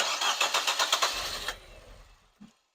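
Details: 2014 Nissan Juke after engine rebuild, first start attempt: starter cranks in quick even pulses for about 1.5 s, never catches; scan shows P0087 fuel rail pressure too low, low-pressure pump being checked.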